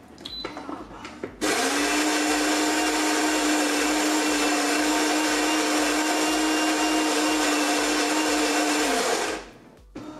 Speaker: there's nothing wrong here Listen, there's nothing wrong with it